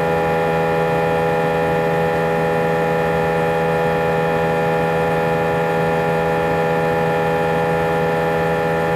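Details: A320 cabin during takeoff: a loud steady drone with several fixed tones stacked over a deep hum, and vibration felt through the seats for the whole 5-hour flight. Intercom announcements were drowned out and passengers felt something was wrong. The excessive engine noise has no known cause.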